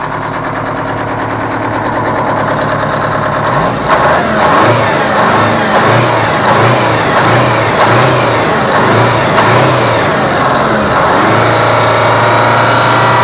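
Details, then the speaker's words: Aerodyne cabover truck with Detroit diesel, sat 27 years, after running out of fuel because the fuel line wasn't switched over: catches, roughens briefly, then settles into an even steady idle as it picks up fuel; normal diesel idle. "so i ran it out of fuel but it sounds like it's picking it up now i forgot to switch line over so uh seems like it's good now"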